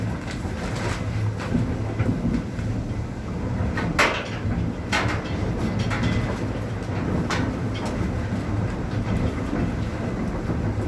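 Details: Dunster Water Mill, Somerset, water-wheel-driven millstones milling rye at full production: low, continuous rumble of stones turning with a few light knocks from the gearing. Normal running.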